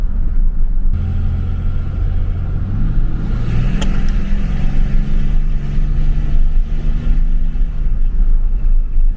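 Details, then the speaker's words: 2003–2007 3rd-gen Dodge Cummins 5.9 diesel with Holset turbo and a new Cool Hose intake hose replacing the factory tube and muffler. High whistle rises and falls with the revs over a deep diesel rumble; it seems to spool faster and sounds louder. Normal turbo whistle. "i'm definitely noticing it sounds like the turbo's spooling up a little faster maybe it's getting here more and it seems like it spools down a lot faster as well"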